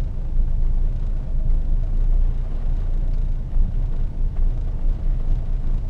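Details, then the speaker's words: 1974 Valiant after first cold start since August 2020, choke on, blowing a little smoke: low even rumble with a steady beat and no knocks once settled, a normal idle. "blowing a wee bit of smoke this car is pretty like once it's happy it's it's pretty good at settling"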